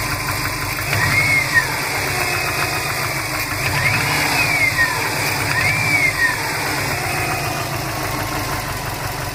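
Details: 2005 Saab 9-2X Aero, 119K miles, stage 2 COBB OTS tune, warm idle: quick light tapping with a faint rising and falling whistle; owner asks if piston slap, data logs show no knock; ticking source unclear.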